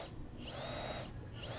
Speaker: máy này sử dụng pin 18v nhưng mà chúng tôi nhỉ chạy thường dòng 14,4 V thôi Người Hiện tại thì thôi không có sẵn phim 18 vô ở đây Máy là hoạt động tốt rồi nhé